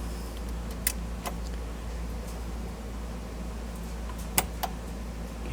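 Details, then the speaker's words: Vintage Blaupunkt car radio after restoration work: only a few sharp isolated pops over a low steady hum, no program audio; speaker popping, output present but no sound. "well i can hear the speaker popping but i'm not getting any audio so it's got output but no sound"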